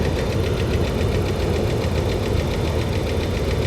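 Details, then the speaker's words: 2009 Dodge Ram 1500 Hemi, 325,000 miles: light steady tick about seven per second over a rough idle, heard from both sides of the engine and not very loud; owner unsure whether it's Hemi tick or injector noise and thinks it's probably fine. "I mean, I'm hearing the noise out of both sides of the engine. It's not like it's coming from just one place. And it's not like... This isn't super loud."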